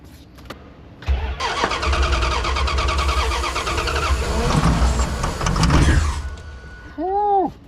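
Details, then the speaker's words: 1989 Dodge D250 that sat over 12 years, running on starting fluid: it catches, surges and stumbles unevenly, sounding diesel-like and unhappy, then gives a sharp backfire pop; fuel is suspected of not reaching the carburetor. "What in the world? That sounds like a diesel. Is this thing a diesel? It's not happy. Not happy at all."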